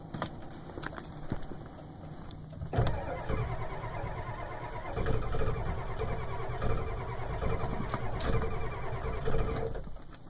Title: 7.3 IDI hard start